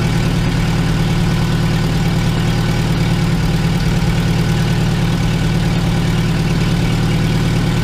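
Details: 2002 VW Gol after a starter motor rebuild and repair of broken injection harness connectors (phase sensor, ignition coil, coolant temperature sensor). Low, steady, even four-cylinder idle with no misses or knocks.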